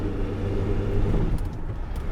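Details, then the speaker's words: 2002 Renault Master 2.2 dCi driving on the road: low, steady diesel rumble pulling smoothly with no knocks, misses or flat spots; power back, healthy under load. "how does it drive oh yeah powers back [Applause] that the wind over but never mind yeah there's nothing wrong with this now"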